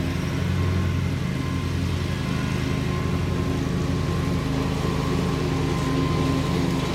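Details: Bobcat Predator Pro zero-turn, Generac engine, after repair for power loss in tall grass, freshly sharpened balanced blades, cutting: steady even note holding speed without bogging; runs healthy, believed fixed.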